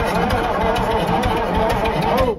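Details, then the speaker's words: Bullnose cabover semi diesel parked 20 years, cranked with ether available at the air intake; starter spins it over briskly and evenly for about two seconds, strong steady cranking that sounded much better, a normal healthy crank. "That sounded better. Much better."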